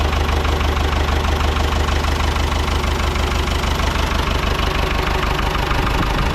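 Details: Ford 6600 diesel tractor, sitting about 8 years, just started after starting-fluid spray bursts while cranking; low on antifreeze so run briefly, some smoke. Even diesel clatter about three beats a second with deep rumble underneath: normal idle.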